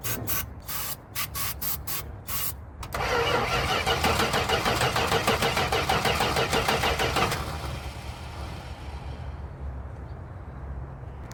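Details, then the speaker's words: 1973 Chrysler Newport 400 V8 junkyard car cranking steadily, catching roughly but never running on its own after a backfire; owner unsure the firing order is right, cause still undiagnosed. "because we did not get it running today but that doesn't mean that it's all over yet"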